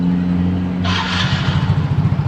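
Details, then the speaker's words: Soul GT 125 scooter, complaint of crackling noise and swaying at slow riding around 40 km/h, after parts replacement and reassembly: even idle rising smoothly into a rev with airy rush, no judder or knock; normal CVT drive, customer's road test confirms fixed. "Ini permasalahannya udah beres, kata customernya langsung yang nyoba, bukan saya."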